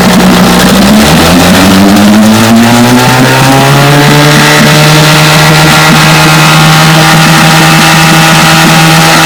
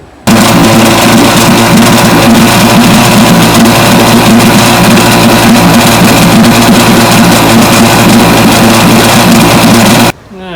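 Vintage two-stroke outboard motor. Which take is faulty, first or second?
second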